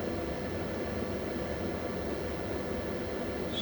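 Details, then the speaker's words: 24 V inverter after low-voltage transistor repair, tested with 230 V output into a 600 W incandescent lamp: steady, even fan rush with a faint hum and no surging or buzzing; normal operation under load. "Так, перевірка інвертора 24 В. 230 В на виході Лампа рожерювання 600 Вт."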